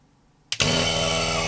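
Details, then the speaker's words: Aircon vacuum pump after repair and reassembly with new precision alignment pins: switches on with a clunk and runs straight away with a smooth, even drone, no knocking or grinding; healthy running. "[Music] happens looking pretty good"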